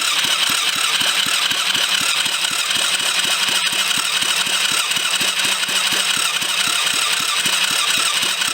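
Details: Kids' 110cc quad after full rebuild, new battery: steady, even cranking at about four pulses a second that never catches; spark confirmed, owner unsure whether the immobilizer unit is to blame.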